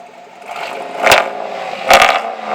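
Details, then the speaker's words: 2007 Chevy pickup after replacing rattling exhaust with Flowmaster FX muffler on 3.5-inch pipe: steady idle and two clean throttle blips, deep even exhaust note, no rattles or leaks. "sounds oh oh yeah sounds mean when you crank him up Rev him up"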